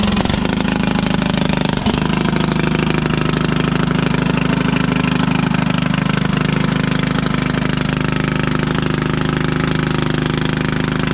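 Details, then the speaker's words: 1996 Craftsman LT1000 Turbo Cool lawn tractor, free project with mouse nest, first start-up run on carb spray: super loud, harsh single-cylinder chugging with uneven rapid beat and rasping exhaust; owner wonders about head gasket; muffler later found split. "about as long as I want to run that in its condition super loud you know it looks like the muffler's all there I wonder if we got a head gasket issue"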